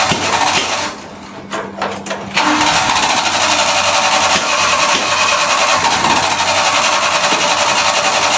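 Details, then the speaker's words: Farm truck: steady cranking churn, a brief lull, then rough catching that never settles into a run; it has spark and almost starts but won't. Cause unconfirmed. "I think it does cuz it almost ran."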